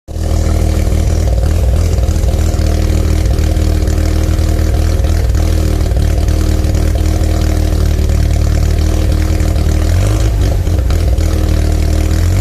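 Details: Mazda RX-7 SA22C with 13B turbo rotary after a cat delete: loud, deep idle with an uneven, stumbling pulse and a brief rev near the end. Misfiring.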